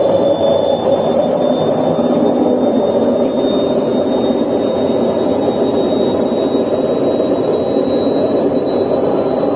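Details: Candy washing machine, loud steady roar with a high whistle through the spin cycle; worn drum bearings.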